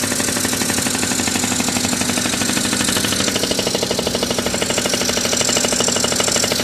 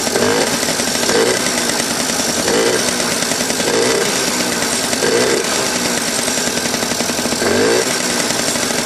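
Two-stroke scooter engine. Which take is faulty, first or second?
second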